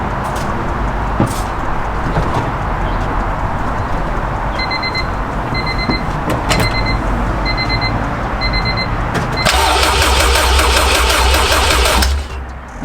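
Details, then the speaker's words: Honda Civic EK with a K24 swap: chime beeping, then about two seconds of steady cranking that never catches. The cause was the wrong engine harness, which looks almost identical to the right one; the correct harness is on order. "so yeah it turns out it was the engine harness the whole time they look almost identical with just like slight changes"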